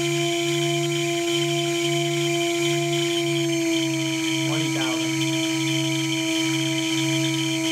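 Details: 2.2 kW water-cooled spindle under warranty: steady high whistling squeal with pulsing lower hum and a brief chirp; owner suspects bad bearings, unconfirmed.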